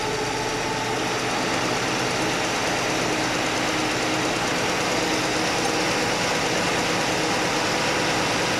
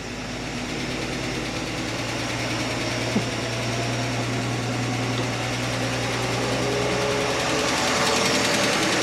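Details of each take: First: Chevy Nova straight-six after repair: even, steady idle with smooth mechanical whirr and no clank; the single rocker arm was readjusted, backed off from 3/4 turn past quiet because that ran rough, now normal idle. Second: Chevy Nova straight-six at steady idle after exhaust manifold donut replacement failed to fix the noise: light, quick ticking about four per second in time with the engine; owner suspects a lifter tick, actually a loose rocker arm.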